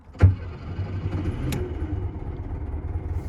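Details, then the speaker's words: 1972 VW Super Beetle started without priming or pressing the accelerator: one short crank, then catches at once into a steady low idle with no stumbling; runs well, though carburetor still needs tuning and belt may be slightly slack. "I'm going to show you how the vehicle runs it runs good I need to tune the carburetor"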